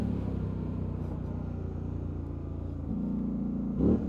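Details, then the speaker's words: 2019 Polaris Sportsman 1000 XP parallel twin, tested for overheating, performance mode, two-wheel drive, uphill, temperature around 201–203 with fan on: deep even V-twin-like rumble pulling cleanly under throttle, no knocks; healthy engine. "She goes good, sounds good. Love the sound of these things. They sound like a V-twin."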